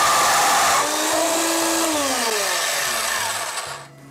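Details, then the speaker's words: Drill press boring metal for a DIY Gingery lathe bed makes a harsh, buzzing screech with a tone sliding downward. The machine shakes and wobbles, and the bit chatters. "I'm going to crank the volume back up so you can hear the chattering"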